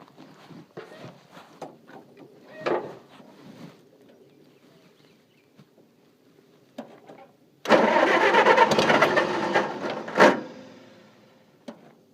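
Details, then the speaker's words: Engine that would not start in the dark; owner suspects flooding or moisture in the distributor cap: quiet clicks, then starter cranks hard about two seconds and stops without catching; crank no start, cause unconfirmed. "Come on, baby. Tell me what's wrong with you. Fuck. Alright, let's sit for a while. It's flooded."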